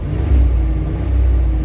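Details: Truck with TBI and a new X-Mark fuel pump, sat for months, revved while warming up with good oil pressure and no leaks; deep even rumble swells cleanly with throttle, no stumble or misfire; normal revving.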